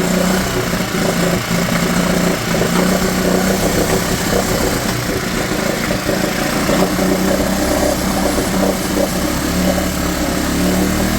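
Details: Mercury/Tohatsu 4hp four-stroke outboard in a bucket, after carb cleaning and fresh petrol for a no-start, on choke: steady, busy idle with no misses or knocks; normal running.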